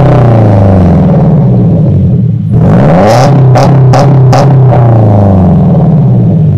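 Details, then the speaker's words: 2015 Subaru Impreza with Invidia R400 catback exhaust (replacing straight pipes): deep, burbly boxer rumble swelling cleanly on each throttle blip and settling smooth; healthy, loud exhaust. "it's a nice tone very deep signature she brew Rumble my favorite thing ever definitely very happy with that"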